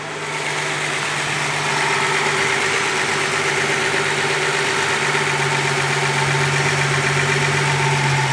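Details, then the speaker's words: Warmed-up Z car at its normal idle of about 750 rpm, per the manual and the sticker, after a high idle: a smooth, even, low hum with no knocks or misses. "no it's idling it a much better idle speed now about 750 which it should according to the manual and according to the sticker that's underneath"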